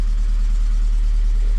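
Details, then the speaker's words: 2001 Volvo S40 petrol, non-runner got running: deep, loud, steady rumble at idle much louder than stock; sounds like a large hole in the exhaust, exhaust leak suspected, not confirmed. "it sounds like it's got this big of a hole in the exhaust"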